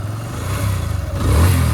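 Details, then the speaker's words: TVS Apache RTR 160 BS6 after replacing the slack timing chain whose adjuster was maxed out, which had been noisy at idle: smooth, deep exhaust note rising cleanly with throttle, no rattle or tapping. "Complete बेजोड़ sound आया भाई है ना क्या तंजीम भाई आवाज खत्म हुआ ना हा अल्हम्दुलिल्लाह ठीक है"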